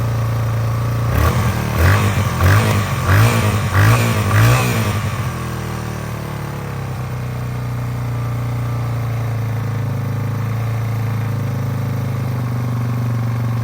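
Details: 2001 Yamaha TTR 225 after four years sitting and carburetor cleaning, first start with jump pack: a few quick throttle blips, then steady, even single-cylinder idle with no misses or rattle; healthy running.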